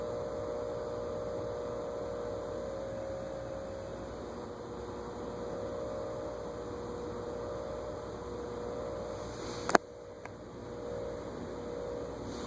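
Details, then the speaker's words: 1950s GE 20-inch plastic-blade box fan at a very low control setting, drawing close to an amp: steady low mains hum with no blade swish, then a click; motor energised but stalled, lacking torque to restart. "it's amazing just how much current it takes to move so slowly permanent capacitor motors are definitely more efficient that's drawing close to an amp to only go that slow i wonder if i stop it with my finger if it'll have enough start again"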